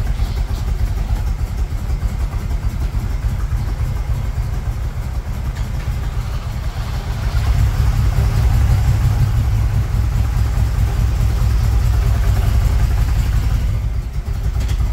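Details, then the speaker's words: 1978 Chevrolet Monte Carlo, rebuilt 2004 with probably under 50 miles, after sitting a couple of months: uneven loping idle swelling as revs rise; rough running, stalled once, backfiring; owner says it needs TLC, timing work, plugs and tune-up. "well as you saw the motor does need a lot of TLC it turned off on me once on camera"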